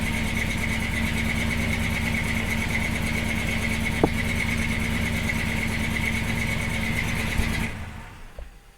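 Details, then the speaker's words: 1976 C30 dually 454 with a newly installed Holley Sniper EFI, target AFR 11.5, apparently not yet in learn mode: the big V8 idles with a slightly uneven, loping beat, running lean, then sags and shuts itself off. "it's very lean right now so it's gonna rich enough"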